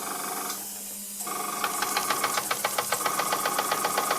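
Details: Bing toy steam engine of unknown model, previously a non-runner, test-run on air after the steam pipe was soldered back onto the boiler and the piston, cylinder and frame were repaired; crisp, even chuffs about four a second over steady hiss, running freely.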